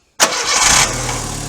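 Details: Car starter after being removed and lubricated to fix a growl right after starting: a quick clean crank that catches at once and settles into a steady idle, with no starter growl; the fix worked.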